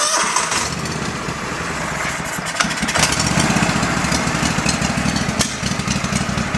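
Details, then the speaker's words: Go-For Digger two-cylinder engine from an estate sale: rough running with irregular pops about four a second; one cylinder dead while the other carries it, a bad spark plug suspected. "You hear it popping. See if it's just on that side that's running. Yeah, this side's doing nothing. That side's doing all the work."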